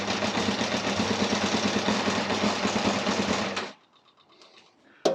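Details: Yamaha Thundercat 600 with flooding carbs: the engine idles with a slightly uneven puffing pulse, about three a second, then shuts off. It sounds rough and blurry, and an exhaust blow is also suspected; cause not confirmed.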